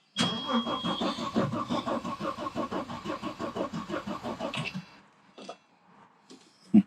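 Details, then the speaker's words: 1991 Audi 90 quattro Sport 20v that sat about 14 years cranks evenly at about three pulses a second for four seconds with no catch. It has compression and spark but no fuel, and the fuel pump under the car cannot be heard running. "I can't hear the pump running and on these ones it's pretty obvious because it's literally right underneath the car here"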